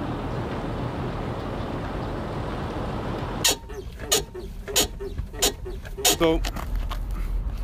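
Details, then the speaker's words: 2003 Mercedes S430 4Matic, 171,000 km: suspension pushed down hard with the phone mic on the tire gives only dull thumps, no squeak, after spraying ball joints and bushings with silicone lube. "I mean, the squeaking's gone, and I'm not going to lie, I'm feeling pretty clever right now."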